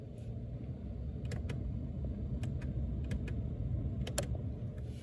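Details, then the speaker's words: Mercedes-Benz W140 climate control vacuum switchover valve unit, opened with relays exposed, tested by pressing temperature buttons: crisp irregular clicks, some in quick pairs, over low hum; valves switching normally (failures come from cracked solder joints). "vous allez entendre euh des clicclacs ici là ça va claque on va faire le test"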